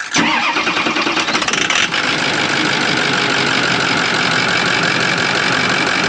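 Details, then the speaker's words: 2006 Ford F-550 6.0L Powerstroke diesel at idle after a blue spring kit install in the fuel pressure regulator, fixing a damaged O-ring that let fuel bypass and gave 45 PSI or less. Now 65 PSI, with a brief crank, quick catch and steady, even clatter that sounds healthy. "So anyway, it sounds good now. Listen to that."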